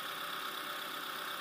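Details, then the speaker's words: Opel (Astra J/Insignia/Vectra C), 125,643 km, warming up after a timing belt replacement: smooth, even idle with a steady mid-pitched hum and no knocking or ticking; engine runs normally. "Сейчас прогреваем, проверяем. Если все нормально, то добираем. Ну, все у нас нормально работает."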